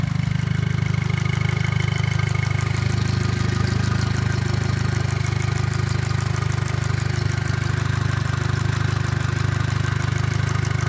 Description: my 2008 gli with 241k developed a ticking noise at warm idle, goes away with any application of throttle.